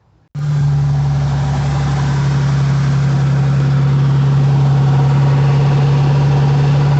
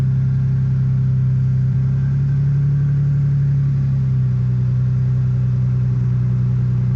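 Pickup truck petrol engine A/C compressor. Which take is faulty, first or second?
first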